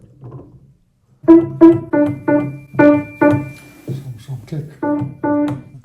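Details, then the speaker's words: Kawai baby grand piano after tightening loose bolts that caused a clicking sound in the middle; chords ring out cleanly and evenly with no click or tap, the noise gone. "test it if the sound is still there now it's gone"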